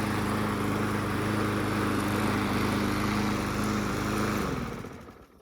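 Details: Yard Machines mower (trade-in) after a new blade was fitted to cure vibration: a smooth, even hum at constant pitch with no misses or knocks, then a clean shutdown; normal running.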